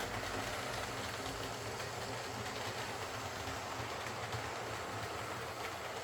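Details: Old Lima Class 40 model locomotive in BR green, front-bogie fault fixed by fitting a complete replacement motorised chassis: soft, even motor whir with faint wheel clatter, no stutter or pickup dropouts; runs smooth and quiet.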